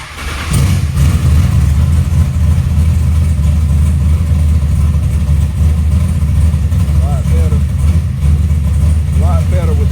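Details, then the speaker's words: Big-block Chevy V8 carburetor during intermediate circuit tuning after a mixture adjustment, wideband still reading rich; lumpy rumbling part-throttle run with slightly uneven firing; rich running with unburnt fuel under part throttle. "We cut it off. We still got a little We still got a little unburnt fuel uh under part throttle."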